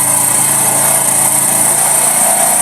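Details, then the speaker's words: Badia 125 motorcycle that shorted and wouldn't run, restarted after spark plug cap and plug check: small single-cylinder buzzing at a steady, high, even idle with no stumbling; runs fine. "Ayan mga kaibigan oh. Umandar na. So walang problema walang abirya na trouble shoot."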